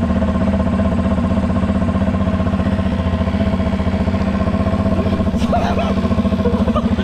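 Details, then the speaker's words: Yamaha 700 Raptor quad restarted after flood water in engine, drained and refilled with fresh oil (water still came out): big single idles with loping, slightly uneven thump about four beats a second, smoking; owner says odd noise is because a part isn't fully pushed in. "C'est normal que le bruit soit bizarre parce que là il est pas bien enfoncé, donc c'est normal."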